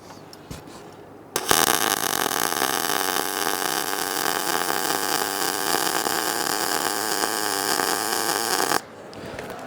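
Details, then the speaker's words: Short-circuit MIG, normal contact-tip-to-work distance; about seven seconds of steady frying-bacon crackle, no popping or sputter, good normal weld. "We like that sound."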